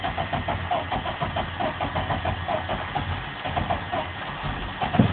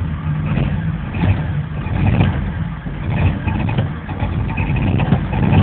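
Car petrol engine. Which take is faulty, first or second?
second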